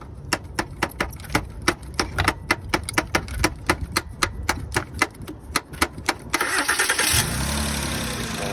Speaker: And that's when your starter is bad.